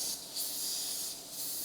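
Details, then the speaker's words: Inflatable dinghy, first chamber checked by ear for a leak: steady thin high hiss of air escaping through a new puncture, not an old hole; needs patching. "so I think I may have a leak here in this first part I'm going to check this and we'll see if it's leaking air I have to do that by listening to it"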